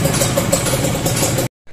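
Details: Two-stroke motorcycle with carburettor pilot jet correctly sized: brisk even burble with steady crisp pops, throttle response matching the sound, no misses or hunting; normal idle.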